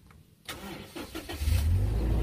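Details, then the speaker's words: Toyota Kijang Innova petrol engine checked before buying: brief starter whir, catches immediately and settles into a smooth steady idle with no shaking and even engine tapping; healthy start. "dia langsung hidup ya. Kita lihat mesin hidup, halus, tidak ada goncangan sama sekali. Ketokan mesin juga halus."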